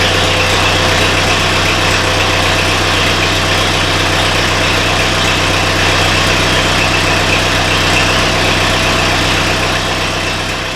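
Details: Mid-1970s International 2510B loader tractor, six-cylinder ~60 hp diesel, cold, after starter repair: steady, even idle with smooth low thrum, no knocks, misses or starter clatter; running healthy.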